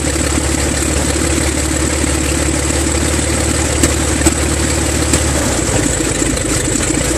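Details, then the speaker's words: Six-cylinder engine at first start, battery weak: loud, even drone with a steady low beat, no misses, all six cylinders firing smoothly. Afterward oil pressure reads 6 psi and dropping; sensors or wiring suspected. "Sounded a lot better. Yeah, a lot better. That sounds like a real engine. Sounds like all 6 cylinders are talking to each other."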